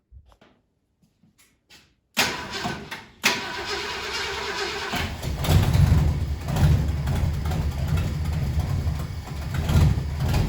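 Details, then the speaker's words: 1968 Ford Galaxie 500 with a 390 V8, sitting at least 13 years, coil wired directly to the battery to bypass a wiring issue. After silence the starter cranks briefly and the engine catches into an even, steady idle. "this thing should start right up in idle hopefully it might not idle but it should start up and run we'll see what happens here"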